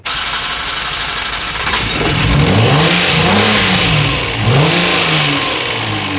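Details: 2005 Kia Sportage 2.7L V6, first start after timing belt and water pump replacement; it had run on a leaking pump topped up with water for three months. The engine catches and stumbles with a ragged, surging, lumpy beat. Rough running; the engine is believed wrecked.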